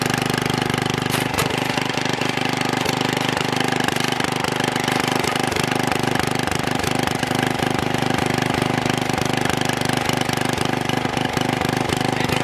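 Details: Troy-Bilt Super Bronco tiller, bought locked up, possibly stuck reels, now repaired with exhaust warm: steady single-cylinder chugging about three and a half beats a second, even and unbroken; normal running.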